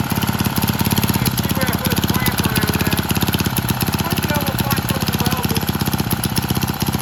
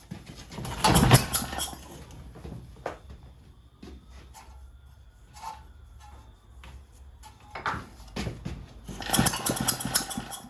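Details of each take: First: Vintage Lauson-powered jump starter, rope-start single-cylinder left outside long, floods easily, transmission fluid put in and left overnight; owner suspects a sticking valve freed: quick even putt-putt beat, no skips, knocks or rattles; normal running. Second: Vintage Lauson engine on a jump starter, long left outside; pull-start cranking bursts after carburetor adjustment (1¾ turns, choke partly open) never catch; spark later restored but still won't start. Cranks but won't start.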